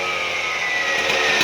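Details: TS410 concrete saw started with quick-start spray in the muffler and choke on: steady high-pitched two-stroke buzz holding even revs with no misfires or stumbles; the saw has caught and runs cleanly, normal running.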